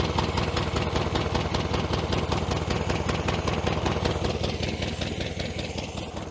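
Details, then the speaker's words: 1966 VW Beetle, dormant over 10 years: an uneven, lumpy idle skipping about twice a second with little power. One cylinder is dead, with that exhaust pipe cold enough to hold by hand, suspected from a failed spark plug. "right she's not running on this one here that's the exhaust pipe coming out there and that's cold"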